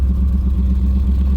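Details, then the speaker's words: Silver junkyard BMW on its second start of the day after a quick prime: a deep, lumpy low burble with uneven pulses right after starting; rough running. It starts good on some occasions and terrible on others; cause not found. "Oh my god, what is wrong with this thing? It sounds so bad. It'll start up, it'll sound good. It'll start up and it'll sound terrible."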